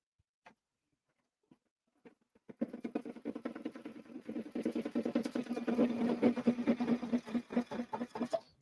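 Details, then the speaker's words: Sewing/embroidery machine making the knocking it made before: fast uneven stitching clatter about two per second with a dull knock each beat; a big thread nest bunched under the needle plate. "Something doesn't sound right. Don't look messed up. I hear that knocking noise we heard last time. Yep. Let's see. Yeah, we got a big nest going on here."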